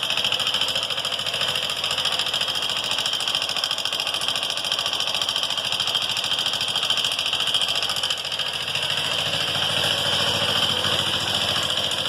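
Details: Honda Fan 150 engine idling with a fast, fairly regular metallic ticking about three per second over a bright clatter; source not yet identified.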